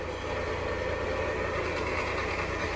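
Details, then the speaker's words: 2019 Jeep Compass engine running: a strong, constant dry whirring from the alternator pulley, with no noise from the engine itself. The belt is removed next to hand-spin each bearing. Accessory drive pulley bearing noise. "de antemão já dá para ouvir um barulho muito forte no alternador Eu já peguei alguns zip com esse defeito com o barulho na polia do alternador"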